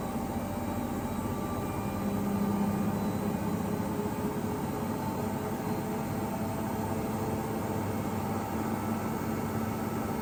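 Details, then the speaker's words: Ipso ILC98 washer on a 60°C whites (SuperWash Plus) cycle with a small load of three towels, after long unbalanced-spin balancing attempts; steady low rumble and faint whirring from worn motor bearings. "You hear the motor bearings."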